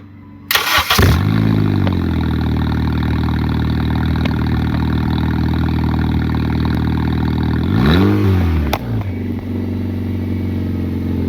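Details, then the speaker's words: Car with suspected exhaust leak, cold-started with the exhaust open right after the catalytic converter: a loud, raw, unmuffled drone with a quick blip. "how about we do another cold start with the open catalytic converter as you can see open cash now you can see my cat right there"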